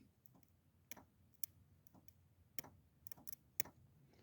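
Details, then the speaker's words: Jeep JK Rubicon electric axle locker fitted to a non-Rubicon JK, bench-tested with a direct 12 V signal: sharp clicking as the actuator engages normally. "that clicking noise is it activating so uh we should be good"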